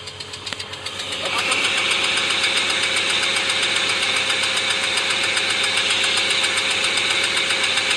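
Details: BMW M50 B25 engine: sharp, fairly regular ticking knock, about four a second, over a hissy running note, coming from cylinder 1; owner suspects a connecting-rod bearing or the exhaust valves.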